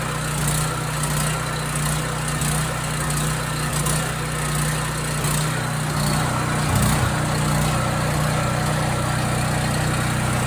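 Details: Husky portable generator that runs about 5 minutes, then shuts off; cleaning the idle mixture jet didn't help, and the carburetor is to be cleaned next. A rough, uneven beat with a drone that swells and sags as the engine speed hunts.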